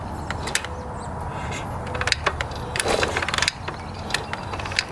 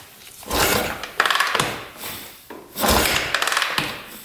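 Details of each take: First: 1982 Honda XL500R single, stored about six years, kicked repeatedly: sharp irregular ratcheting clacks with no firing pulses; cranks but never catches. Fresh fuel is later seen leaking out; owner guesses the seller refuelled it after storage, tried to fire it up, then sold it. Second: 1982 Honda XL500R dirt bike, kickstarted: the lever pulls the cable-operated decompression mechanism, releasing compression on each kick for easier starting. Two swings, each followed by light clicks as the decompressor snaps back. Normal decompression release.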